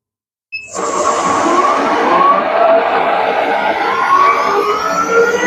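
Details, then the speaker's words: Shopsmith Mark V 7520 on the router/shaper setting, 8,500 RPM: the motor spins up with a clean whine climbing steadily in pitch, smooth and even with no rattles or grinding. "This is router shaper. This is going to do 8,500 RPM."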